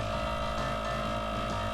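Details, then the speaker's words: Boat air horn compressor (VAir pump) building pressure after fixing a horn air leak with a special hose: steady, even motor hum, constant pitch, no knocking; it shuts off at about 115 psi as designed and pressure appears to hold. "Uh, so the pump has shut off as it's designed to do. When it reaches about 115 or so, it stops."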